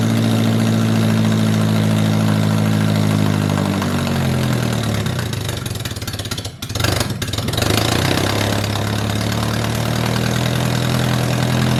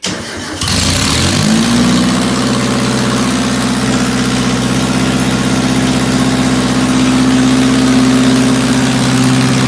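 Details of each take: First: 1978 MG with 1.6L Miata engine in a cold garage, after idle air control valve delete to fix a vacuum leak. Steady, smooth low hum with one brief dip and recovery; fast cold idle, running clean. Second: 1978 MG with swapped 1.6L Mazda Miata engine, just got running, before idle air control valve removal; owner has vacuum leak issues. Catches, then slightly uneven, lumpy, wavering idle; rough running, likely intake air leak.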